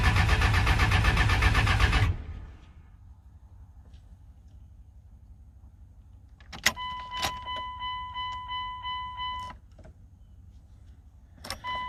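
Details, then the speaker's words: 1999 Cummins 24-valve diesel, 304,000 miles, sat 2–3 years, injector lines loosened for bleeding, low on diesel, weak factory lift pump: fast even cranking without catching; crank no start, no fuel delivery. "Still waiting on some diesel. And I gotta. These factory lift pumps just really aren't that good. I think they only run when you're cranking or something like that."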